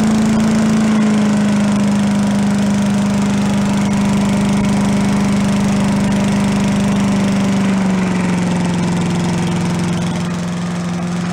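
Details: Commercial walk-behind two-stroke leaf blower, bought not running with reported carburetor problems, repaired and run on the ground to check smoke: steady, even drone with no misses or surging, pitch settling slightly lower near the end; running healthy.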